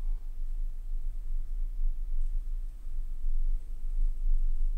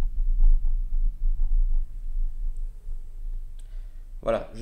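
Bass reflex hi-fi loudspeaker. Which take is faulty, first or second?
second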